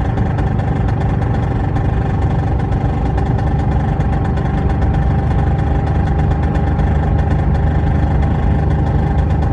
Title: P38 v8 4.6 loud noise when driving along. 2k revs and above. Under load.